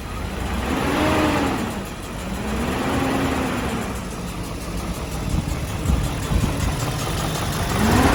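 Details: 2001 BMW 740i M Sport V8, first cold start after timing chain replacement: catches and runs smooth with a few gentle rev blips, no chain rattle or ticking, healthy even idle.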